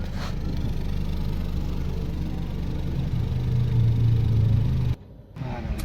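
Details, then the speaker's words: 2016 Toyota Corolla Altis Grande 1.8 four-cylinder after fixing a misfire, heard at the exhaust; steady even beat swelling smoothly with revs, no missed pulses, all cylinders firing. "अब ये बिल्कुल ठीक है, अब बिल्कुल काम करे। अब पीछे सिलेंसर आपको चेक करवाता हूँ, कोई मिसिंग नहीं होगी।"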